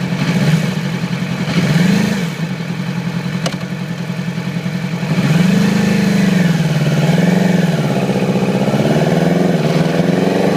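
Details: 2008 Yamaha R6 inline-four: uneven stumbling idle with ragged throttle blips, appeared overnight, little low-rpm power, sluggish at high rpm/freeway speeds. Cylinder misfire from faulty ignition coil; replacement restored it immediately.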